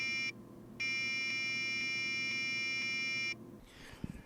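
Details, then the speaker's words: Tektronix AA501A distortion analyzer, microphone at the meter: continuity beep cuts out and returns with sharp clicks whenever the reed relay is touched. Faulty reed relay. "just touching the reed relay is enough to make it go crazy"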